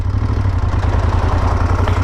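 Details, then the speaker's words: Moto Guzzi Stelvio twin, engine rebuilt after nearly seizing, tested after reassembly: steady, even low idle thump with no knocks or misses; the engine runs round and healthy, now firing on both cylinders where before it ran like a single. "Pero va de cine, tío. El motor está redondo. Eso se nota."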